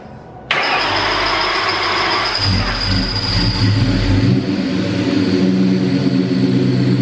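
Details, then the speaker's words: Rebuilt supercharged 2003–2004 SVT Cobra V8 at first start-up after full engine rebuild, fast idle with gear-like whirring rattle; owner suspects alternator or pulley (it is charging), doesn't think it's internal engine. "So, I'm kind of thinking I might have goofed up the alternator. This might be on me, guys. Um, I don't think it's in the engine, which is a positive, but I think that noise you're hearing that sounds"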